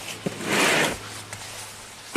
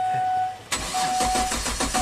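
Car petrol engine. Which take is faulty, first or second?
second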